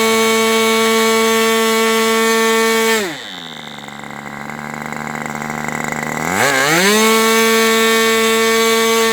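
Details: Aviastar 46 ABC glow engine on a chilly 61°F day, testing two carbs: it screams at high revs, drops to a low buzz for about three seconds, then climbs back to full speed. Owner is unsure of the cause.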